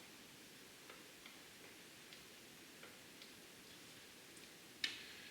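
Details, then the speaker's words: Seized fuel pump in a 2013 Kawasaki STX-15F jet ski, bench-tested with power on its two pins after flushing varnished fuel: only faint sharp clicks about every half second, no motor whir, pump stuck and needs replacing. "Yep. I think we're going to need a fuel pump here, fellas. This thing is stuck. It's just clicking. Yep, she's just clicking."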